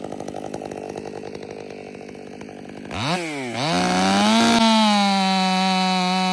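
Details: Warmed-up, Empire Workshop-ported STIHL MS500i with stock air filter, 32-inch bar, sharpened chain and seven-pin sprocket: idles, then snaps to a high steady scream that pulls down slightly and holds strong in the cut, running clean.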